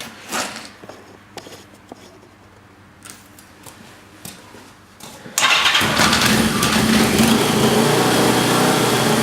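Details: Yamaha XJ650 with suspected sticky valve, after transmission fluid in cylinders: few quiet clicks, then engine catches and runs loud, rough and smoky with a fast sharp puffing tick; exhaust leak. Plugs and leads old and tired.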